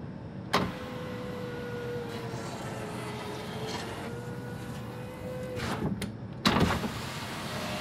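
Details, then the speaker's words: 2017 Mitsubishi Outlander front passenger power window after glass replacement: motor whines through its travel with gritty scraping, then clunks at the stop; broken glass debris left in the track. "all right this almost sounds like there's glass in there doesn't it"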